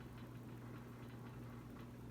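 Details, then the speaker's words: 52-inch oil bronze Harbor Breeze Caratuk River ceiling fan running on a roughly 12-foot ceiling, before being switched off: steady low hum with a faint buzz on top; the vibration sound could get annoying. "Yeah, that vibration sound, I could definitely see that getting annoying, but here's the light one more time."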